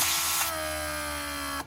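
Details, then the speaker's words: Rebuilt Mercedes W140 500SEL door lock pump on bench: small pump whirs steady high pitch about a second then cuts off; re-running like this from a vacuum/pressure leak keeps re-energizing it, overheating and burning the motor. "it wasn't designed to do that so basically if you have a leak this is what pump is going to do is going to keep it at re energizing and obviously overheating the motor and burn in itself"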